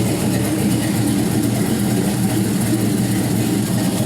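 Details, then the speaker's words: 6.0L LY6 gen 4 LS V8 with 5.3L 706 heads and 220/224 cam, test stand run before closed loop: steady, heavy, slightly lumpy thick idle, running fat; rich cold idle expected to clean up once fuel trims. "it'll start to sound a little bit cleaner a little bit crisper right now it's kind of fat"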